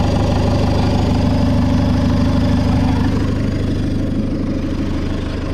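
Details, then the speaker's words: Fiat Ulysse diesel with a turbo just refitted, first start to check whether the engine survived. Smooth, even idle with a soft rush of air from the turbo blades, no clatter or ticking; the engine sounds healthy. "t'entends les spales. Ouais, parce que là, en fait, ça brasse de l'air. Donc c'est pour ça qu'on les entend, mais ça claque pas, ça cliquaille pas."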